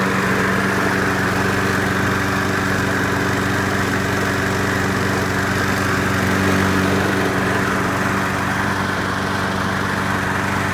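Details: Craftsman Platinum EZ Walk lawn mower, 6.75 gross torque engine, after carburetor replacement: runs steady and even with a smooth, unchanging drone, no misses or surging; healthy.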